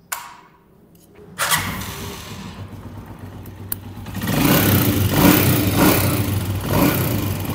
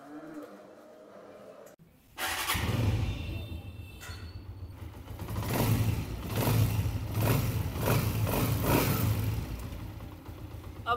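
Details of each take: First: Honda CG 125 single-cylinder bike started cold: dry steady ticking tappet noise from the valve gear; fix is tappet clearance adjustment with feeler gauge, typically needed after 10,000–15,000 km. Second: Honda CG 125 after tappet adjustment to 0.08 mm feeler gauge, cover refitted: starts after a couple of cranks, even beat through blips with no ticking from the head; normal running, tappet noise gone.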